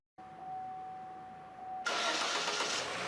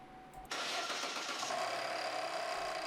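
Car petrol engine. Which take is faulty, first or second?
second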